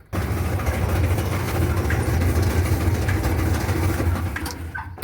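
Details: Whirlpool/Kenmore gas clothes dryer making noise while the drum turns: a heavy, uneven low rumble, traced to a worn drum support roller.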